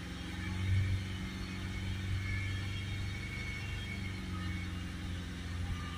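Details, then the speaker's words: Ford Ranger 2.0 bi-turbo diesel with DPF restriction faults P2463 and P246C, exhaust filter over limit: steady deep drone held around 3,000 rpm during DPF cleaning until filter pressure drops, no dips or misses. "so now we just need to run the engine until that pressure starts coming down down we'll hold it up at about 3,000"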